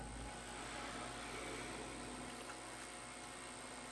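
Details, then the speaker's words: Repaired WeiYa clone universal arcade monitor chassis powered on: thin steady high deflection/flyback whine over faint hiss, tube glowing; monitor back to life and working normally. "all right i can hear the uh deflection yeah we do have glow so that's pretty good"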